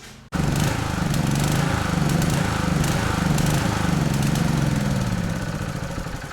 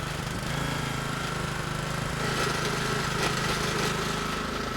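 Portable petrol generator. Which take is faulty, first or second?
first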